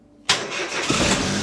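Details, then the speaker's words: Car started on jump pack after fuel system primed: short crank then clean catch into steady, even idle with no misses or knocks. "There we go. There we go. That's the noise we love."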